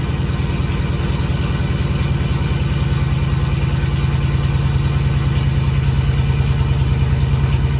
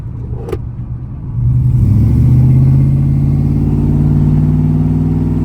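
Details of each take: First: Vehicle with new long-tube headers and 3-inch pipe ending in a turn-down, not connected to the rest of the exhaust, first start-up: very loud raw low pulsing about three beats a second, unmuffled blatting; loud open exhaust. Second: V8 truck with long-tube headers, driving around 3,000 rpm: steady deep drone swelling as revs climb, then even, quiet medium rumble at cruise, nothing wrong; normal exhaust note at cruise.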